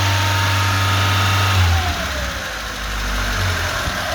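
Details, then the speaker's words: Lada 2104 carbureted engine, choke released, running on fuel fed directly into the carburetor; steady low idle dips slightly and recovers, then runs smoothly. Owner suspects a bad fuel pump. "it's without the choke she's still running let's put more guessing in okay she's running really good I can't believe it"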